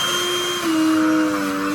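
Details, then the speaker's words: Black+Decker CHV1410L 16V Dustbuster after cleaning, with the intake blocked: the motor whine drops in pitch and turns harsher, then picks back up. This is strain under load, possibly vibration from slower spinning or low battery charge; the motor soon dies. "Only when it's under a lot of load and it can't draw air through it does it start to do that. So maybe because it starts spinning slower, it might vibrate more."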